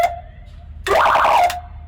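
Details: 1982 Chevrolet square-body ambulance under restoration, tested with roof master switch on: quiet hum, then a loud rising siren burst of about half a second cutting off cleanly — siren working normally.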